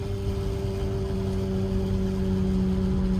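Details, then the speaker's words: 2009 Nissan Altima at 70 mph on the highway: loud steady droning hum with low tone and octave over road rumble, identified as a wheel bearing. "If you guys can hear that loud noise right there, that's a wheel bearing."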